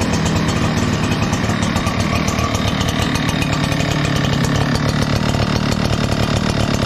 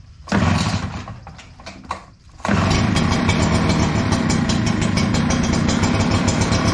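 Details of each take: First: Echo PB 9010T backpack blower, 500+ hours, ran poorly when cold; after richening carburetor a quarter turn, started without choke: strong even two-stroke drone at steady speed, no bogging or stumbling; running great. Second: Echo PB-9010T backpack blower started cold on choke: pops and stumbles, then catches into an uneven, lumpy run, a lean cold stumble blamed on the carburetor. It runs fine fully warm but is slow to warm up, and the air filter is good.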